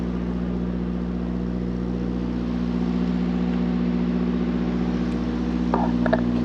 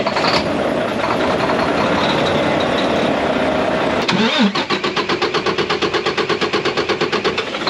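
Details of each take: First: Mack truck with MP8 (Volvo D13) diesel after a Volvo specialist sorted the injectors that caused long-crank hard starts: deep, steady idle with a constant low drone, no stumbling or misfire; truck running well, fuel burning fine. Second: Mack MP8 / Volvo D13 truck diesel that long-cranks after sitting a day or two or after a fuel stop: starter chugs in slow even pulses, about three per second, for several seconds without catching; hard start.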